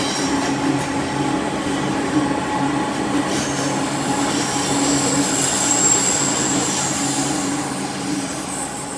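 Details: Train passing through the bendy section between Waverton and Wollstonecraft stations, North Sydney, near the tunnel: high thin screech over the rumble and clatter of the cars as it grinds through the sharp bend; wheel squeal on a tight curve.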